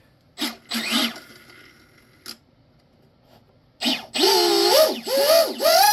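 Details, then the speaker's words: Twin Rocket 2948 3450 kV brushless motors with Flycolor 90A ESCs in a 21-inch fiberglass RC catamaran, props fitted and run to check rotation: smooth rising and falling whine with no rattle or stutter, both turning correctly outward. "your Motors are turning is just freaking spool it up just freaking see if you feel any any uh air movement off the back of the prop"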